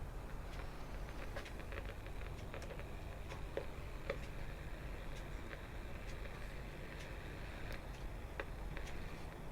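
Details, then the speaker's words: Very rough Bush VHF64 AM/FM valve radio warming up, with 43–44 V AC measured from chassis to ground. Irregular sharp crackles and pops over a low steady hum; cause not traced, an electrolytic capacitor possibly suspected. Crackling on warm-up. "I'm now hearing some crackles"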